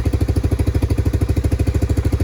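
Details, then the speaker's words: Three-wheeler 250SX. Crisp, even two-stroke popping at about eleven beats a second with no misses or hunting. Clean normal idle. "Yes, sir. There she is. Runs like a charm, idles like nothing. And that is the 250 SX, ladies and gentlemen."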